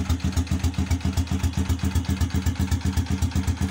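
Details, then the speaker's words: Honda XRM single-cylinder motorcycle with weak charging, battery removed: idle lopes unevenly with a steady stumble about four times a second, misfiring without battery but fine with it; fix is replacing the rectifier regulator with a full-wave charger. "Magcharge pag walang battery palyado pero may battery siya Okay yan"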